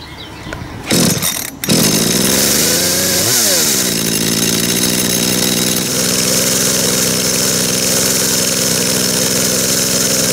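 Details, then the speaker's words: Dolmar chainsaw after carburettor cleaning, tachometer on the plug lead: idle set high via the S screw so the chain creeps, fast busy idle then drops lower and calmer as the S screw is turned out. Idle speed set too high. "ich starte jetzt gleich den Motor und ich habe mal das Standgas über die s-schraube so eingestellt dass die Sägekette sich auf jeden Fall mal mit dreht damit du das mal sehen könnt"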